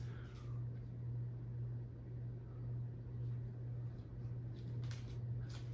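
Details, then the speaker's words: 1980 Supreme Mark VI ceiling fan with a large CEC spinner motor (1979–81), slightly warped with a wobble, at about medium-high speed: a steady low motor hum under a soft air rush. "I can definitely hear it humming [Music] it's a nice fan I like this fan a lot"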